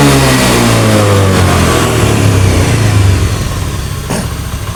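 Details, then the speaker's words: Honda Beat FI (ACG automatic scooter) revs up strongly and winds back down smoothly with no stumbling or MIL flashing; at first start it bogged and the MIL blinked when revved, now normal, though it still bogs at full throttle. "ee namun di awal pertama kita Nyalakan saat ee digerung digeber gas ditarik ini muncul kedipan dan motor ngempos namun sekarang normal"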